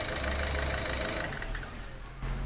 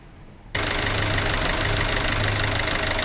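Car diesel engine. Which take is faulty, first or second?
second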